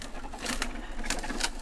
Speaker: Donc c'est normal si on entend des craquements hein au début sur la première utilisation, c'est tout à fait